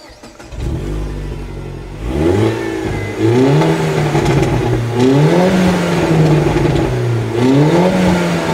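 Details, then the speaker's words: Mini Cooper R58 Coupé with aftermarket exhaust made nearly straight-pipe, revving: loud raspy booming note droning at each rise; excessively loud, owner wants it detuned. "Il problema è che questa linea di scarico è stata, diciamo, resa quasi un tubo dritto; Lo ascolteremo ora, se volete. Ed è francamente molto rumoroso."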